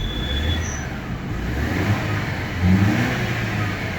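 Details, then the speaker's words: Mercedes W211 E200 after cleaning water-damaged spark plugs and coils that caused a heavy misfire: revs up and drops back smoothly and evenly, AC on and in gear, no missing, normal revving. "अब ये बिल्कुल माशाल्लाह A1 हो गई है, कोई मिसिंग नहीं है, बिल्कुल गाड़ी सब बिल्कुल स्मूथ खड़ी है।"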